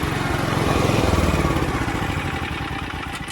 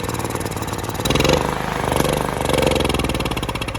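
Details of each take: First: Mitsubishi MGE 4000 generator after carburetor cleaning and fresh gasoline, auto idle on: small petrol engine puttering at a steady, even idle, no sputtering or surging; produces about 100 volts. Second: Mitsubishi MGE 4000 generator that sat unused for a few years, run on choke before carburetor cleaning: uneven, lumpy firing surges, fades, stumbles and dies. It won't run without choke, suggesting a dirty carburetor and stale fuel.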